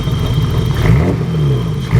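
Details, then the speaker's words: BMW E30 with hard-starting/flooding issues, cold idle wavering, rising and dipping every second with stumbles, later loping; goes away when warm and smooths under load; cause unknown: surging idle. "Here it kind of sounds like it's surging a little. So if anybody knows what would cause that, it's like it's stuttering, like up, and like it's got a"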